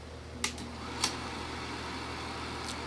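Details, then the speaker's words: Kodak Pageant AV-126-TR 16mm sound movie projector running: steady even motor hum with low drone tones and a few sharp clicks, working normally. "it's running but it started to run a little bit but it looks pretty cool but it still runs great"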